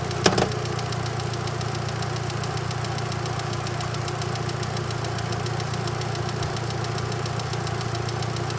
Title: Bad lifter? TURN UP THE VOLUME! :( (Nope, turns out it was a rod bearing and cracked crank)